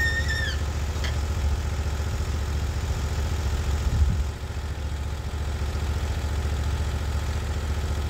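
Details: Norwood HD36 v2 bandsaw mill with new roller guides replacing ceramic guides, slabbing a big black oak log through the bark: steady low engine drone under load, no squeal, chatter or laboring; cut exceptionally smooth, normal cutting.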